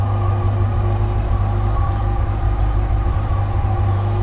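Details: 2007 Yamaha FJR with replacement engine after original broke a valve, before first ride: deep, steady idle rumble with even beat, no knocks or rattles; healthy.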